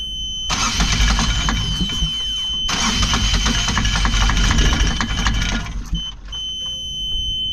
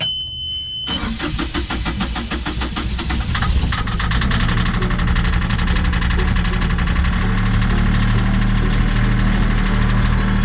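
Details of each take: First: Yanmar diesel on a sailing catamaran, after billowing smoke and a hard start: labored, uneven cranking with rough coughing bursts. Owner suspects an injector clogged with gunk from the previous owner's low-rpm running. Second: Yanmar marine diesel on a catamaran, cold start after injectors were cleaned and refitted: quick crank, catches cleanly and settles into an even, steady idle knock.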